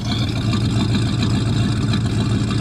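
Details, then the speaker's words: 1973 Buick Regal coupe V8, abandoned at least 13 years and recently revived, idling in icy winter conditions: deep, smooth rumble with steady even beat, no miss or tapping; normal idle. "she's running relatively well"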